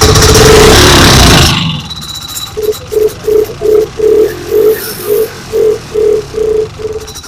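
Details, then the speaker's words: Vintage snowmobile two-stroke, stored since last spring, first start with choke and primer: catches about 1.5 seconds then dies, squeaky pumping strokes; not pumping fuel, loose fuel line suspected of sucking air. Stuck carburetor needle. "So, it doesn't seem to want to pump anything either."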